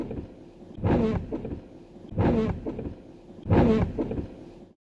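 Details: Truck wipers on soapy wet glass in a car wash: three rough, juddering sweeps about every 1.5 seconds; chattering from old rubber blades caked with grime, before cleaning with alcohol-based cleaner.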